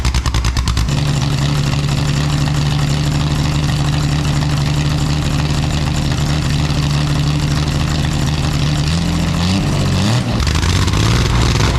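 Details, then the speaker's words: Home-made exhaust for a Jaguar D-Type replica, recorded without its built-in silencers: deep, raw, very loud roar with a crackly edge and a short blip near the end; the silencers later take out the cracking. "I'm going to show you a recording of This exhaust system without the built-in silencers and then one with so that we can hear what kind of a difference it"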